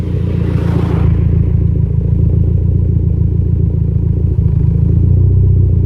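Uneven idle with an irregular stumble in the low rumble about four times a second, still missing occasionally though smoother than a bad misfire. Cause suspected, not confirmed.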